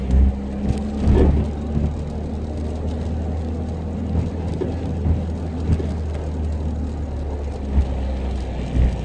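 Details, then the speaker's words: Stock-engined Honda Civic EK fitted with stiffer Yonaka engine mounts, heard in the cabin while driving: a constant deep drone and boom with occasional low thumps. Excessive vibration is coming through the stiff mounts. "guys for those of you wanting stiffer mounts I don't know if you can hear all that vibration but that's with the uh yonaka mounts"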